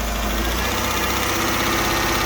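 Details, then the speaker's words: 2009 Dodge Journey 3.5 L V6 given a light throttle blip after new spark plugs and one replaced misfiring coil; it picks up cleanly and settles back smoothly with no stumble or missed beat. Healthy engine rev. "Rev it up a little bit. Rev it up, just rev it up and let it go."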